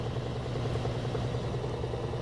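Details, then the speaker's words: Frigidaire laundry center washer, model FGX831FS5, that sometimes failed to spin: during the spin cycle, with motor, belt and transmission visible, a steady low, even hum as the drum speeds up, with no knocking or scraping. Normal spin. "looks good pretty smooth turn it off you can see the motor is stopped but the transmission has inertia so it's still going to spin"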